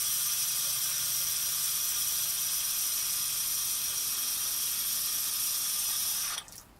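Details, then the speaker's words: Jet vac truck water pump after the water filter check and the water turned back on: a loud, spitting hiss as trapped air causing cavitation is bled from the system. Revving with air inside could damage the pump. "That cavitation, how we'll get rid of it, we'll come over here. You hear the air? So we'll let that air come out of the system."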